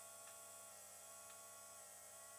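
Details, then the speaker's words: KTM RC 390 project fuel pump priming through a MaxxECU Sport, pressure holding 38–39 PSI at the mechanical regulator, pump rated 120 PSI: faint steady whine with light ticking, suspected to be air purging from the system. "That's air, isn't it? >> Must be air. Must be air purging in the system."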